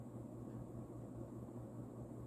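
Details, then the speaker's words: Vintage, probably early-to-mid-80s Union 'Super-36' 36" spinner ceiling fan, model 4CLW-3SPC, rebalanced, on medium speed, still really fast: soft steady whoosh of air over a faint even motor hum, no ticking or wobble; running smoothly. "medium is still really fast and there is a bit of a difference between medium and low but low is very fast as you'll see"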